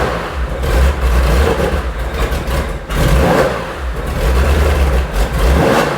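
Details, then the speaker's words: Porsche 911 2.8 RSR build engine on an early run, ECU being tuned remotely, idle later set near 2000 rpm. It surges and stumbles, running rough; individual header temperatures to be checked. Cause not pinned down. "it doesn't sound happy but it's running"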